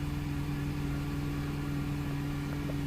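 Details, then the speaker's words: Mercedes W203 C-Class after a gearbox limp-mode repair, idling to refill the drained transmission and mechatronics before the oil-level check: a smooth, steady idle hum, a constant low drone with no knocks, misses or whine. "Sweet. Let it idle."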